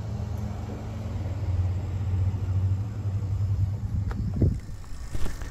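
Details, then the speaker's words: Gen 2 Toyota Prius bleeding brakes without a scan tool: with the brake pedal depressed, the brake pump hums steadily for a few seconds, then stops with clicks, pumping fluid through normally. "it's good there it goes hear the clicking and it's pumping right through there it's just filling this guy"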